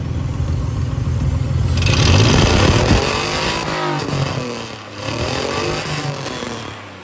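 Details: Nissan Z31 300ZX, recently revived with new battery and crank angle sensor, cruise, smog, AC and related vacuum lines deleted: engine picks up cleanly and falls back smoothly through the revs, no misses, pops or knocks; normal revving.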